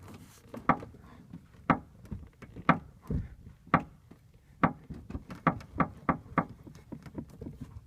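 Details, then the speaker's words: 2003 Mustang Mach 1, noise from right rear: sharp dry creaks and clicks, about one a second, when pressing the metal panel in the trunk just above the right rear wheel well, right of a hole; source unknown. "discovered that if I push on this metal part back here I'm getting that creaking"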